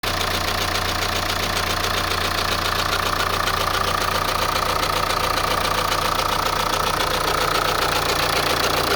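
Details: Opel Insignia B with B20DTH diesel, cold start: at cold idle a steady fast clatter about three to four ticks a second over the hum; owner asks if chain or belt, origin of the rattle unclear.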